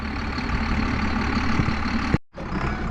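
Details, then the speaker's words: John Deere 7800 tractor lifting a 1770 no-till corn planter: a low, heavy diesel drone with the hydraulic pump grunting, starving for oil because engine speed is too low, so the planter lifts slowly. "You hear it grunting like that, it's starving for oil because the engine's not running fast enough."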